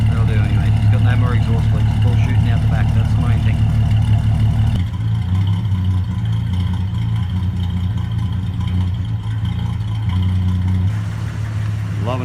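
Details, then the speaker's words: CM Valiant with a new exhaust fitted: deep, even low rumble at idle with a steady beat and no rasping leaks; the noise comes from the tailpipe and the exhaust sounds sound. "if he doesn't sound like a tractor all that noise is coming out the back"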